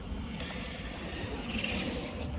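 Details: Traxxas MAXX Wide Kit on 3S lipo running outdoors after fix: smooth steady whir, no grinding; center diff grinding was due to unkeyed axle/slides with hash marks not lined up.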